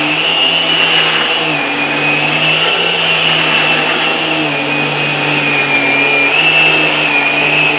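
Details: Vax Air Revolve Pet bagless cylinder vacuum, new and running for the first time, with the power head switched on alongside the suction motor: a high, wavering squeal rides over the steady motor rush. The power head wheels are squeaking.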